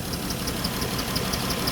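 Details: Dodge Chrysler minivan, 134,000 miles, overheated after driving with a coolant leak from broken plastic heater-core tees; uneven idle with a sharp tick about six times a second over the engine: running rough, cause not yet confirmed.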